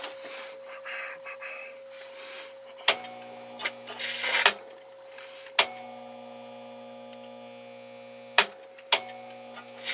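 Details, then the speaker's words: Valiant transmitter at 75 percent with the plate tuning capacitor near the dip point: sharp snaps and sizzling crackle bursts over a steady hum. Plates arcing from uneven spacing, worsening; fixed by evening the plate spacing with a screwdriver. "there you go so that's uh that's going to destroy that capacitor quickly and uh going to do other damage here so that's what we got to fix"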